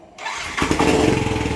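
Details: Yamaha NMAX V1 scooter, idle after installing a fuel injector that had been clogged, after a month of not starting with no check-engine light: catches first try and settles into a quick, even idle with no misses; fixed.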